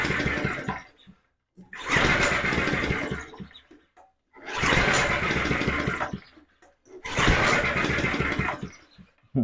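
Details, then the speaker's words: Alpina RS100 lawn mower, engine possibly had water in it, fuel reaching the carb bowl: three pull-start attempts of about two seconds each sputter as if about to fire but never catch. It won't start. "like it's just about to go. But then again, no."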